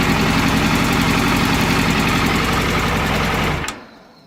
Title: FZS600 engine knock